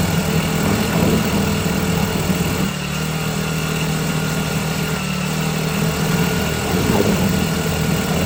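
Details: Cheap China-made 4-stroke outboard during break-in, run after tightening fittings; holds a steady, even buzzing run with slight speed swings, no knocks, misses or rattles, normal running.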